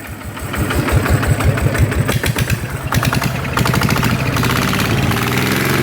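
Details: Yanmar single-cylinder diesel in a loader, rebuilt with 100 mm piston and No. 2 cam, after repair: fast, fairly even chugging beat with steady exhaust pulses and no knocking; healthy normal running.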